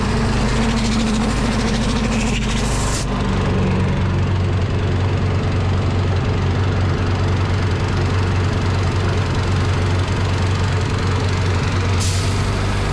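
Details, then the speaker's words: Predator 212 engine on a DIY gas air compressor with pilot unloader valve; idles low, throttle kicks up sharply as air is let out and drops again, normal unloader cycling; it idles so low it can sometimes die when kicked up. "so the unloader here still works but i will start this up and we'll let some air out of it and you can hear it kick up and down manually for now"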